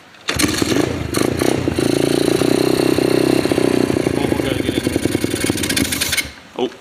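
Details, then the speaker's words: Apollo RFZ 125cc pit bike held steady at low revs before the carburetor pilot screw fix: it stumbles and pops unevenly and never settles to an idle. The owner suspects an air leak at the intake spacer, unconfirmed. Rough low-rpm running, won't idle. "end, doesn't idle. I think it has an air leak at the intake spacer."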